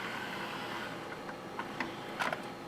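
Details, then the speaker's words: Teac PD-D1500 CD changer from a thrift store, after repair, playing discs: soft motor whirr with a few light clicks as the tray cycles a disc; running smoothly and working properly. "yep as you can hear it's working just time playing the discs"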